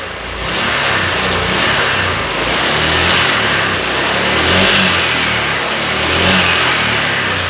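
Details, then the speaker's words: Honda Click 125i scooter that was hard to start and bogged on throttle, after cleaning and blowing out the injector and resetting: clean, even revving that rises and settles smoothly with no stumble; engine now runs normally. "ตอนนี้เล่นได้ปกติแล้วนะครับ"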